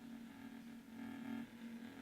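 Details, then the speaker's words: Xbox One audio through TV; harsh steady buzz around 200 Hz swelling and fading, occurring every so often in any game and in menus: intermittent audio buzzing, cause unknown. "But there's this horrible buzzing sound coming from my TV, which happens every so often."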